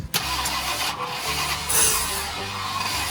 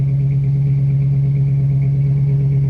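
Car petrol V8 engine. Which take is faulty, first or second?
first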